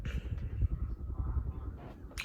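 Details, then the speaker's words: Hampton Bay Huntington III ceiling fan on medium speed with the mic near the blades: soft steady low whoosh of air with gentle pulsing, no ticking or rubbing; running normally. "but this is just about medium i'm about to see weapons if i um put the camera up to the all blades and stuff so so y'all can hear the air noise and stuff"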